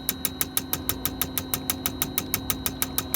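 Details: LS-swapped V8 with a low-RPM idle misfire: sharp, regular ticks about three a second, traced after a day of searching to poor contact at a cheap injector connector adapter.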